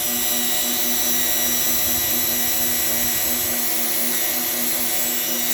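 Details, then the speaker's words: CNC milling a part: high-pitched cutting whine pulsing about three times a second with uneven chatter, as if something is catching; the operator suspects the part is vibrating loose. "something's in the way over here I don't know what it is my thumb I'm going to get my measuring out and make sure my my part isn't vibrating off or something like that"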